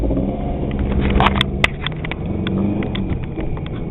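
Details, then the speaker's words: Chevrolet Cavalier after 15 minutes driving, no oil pressure, bad clutch: low-speed rumble with sharp regular knocks and chatter, worse on each upshift, constant in fifth, quieter at higher rpm; owner knows it's a spun/bad main bearing. "you can actually hear it every time I shift it gets worse but it quiets right down once I start getting up into RPMs I know it's a bad main bearing"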